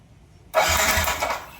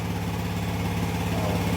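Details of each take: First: Yamaha NMAX V1 scooter (odometer 105 km) that would not start for a month: about a second of quick starter whirring that never fires. No check-engine light and the fuel pump works; a clogged fuel injector starves it of fuel. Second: Yamaha NMAX V1 scooter after the clogged-injector no-start was fixed and wiring redone: starts and idles with a quick, even putter and a steady pulse, no misses or rattles; a clean idle.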